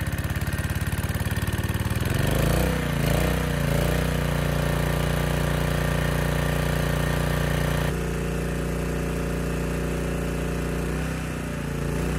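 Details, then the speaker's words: Honda EG1400x generator: uneven low chugging settles into a heavy, labouring hum; an oil-soaked air filter chokes airflow, making it run rich. "but i could tell it was running rich and i was suspicious of this filter when assembling the air box after handling this filter i noticed i was covered in oil so that was acting as a restriction basically choking that airflow"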